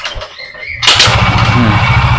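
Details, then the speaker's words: Yamaha Xeon automatic scooter that had a hard, jammed-feeling kickstart, after reassembly with the one-way ring fitted. One kick fires the engine at once into a quick, even putter with no slipping or grinding. Kick and electric start are now both lighter. "Jadi untuk di bagian k s dia enteng dan starter pun dia lebih enteng ya"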